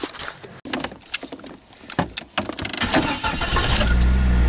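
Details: Jeep Cherokee with no-crank fault traced to the neutral safety switch, relay leg 86 jumpered to ground: after some clattering the starter catches and the engine fires, settling into a steady low idle.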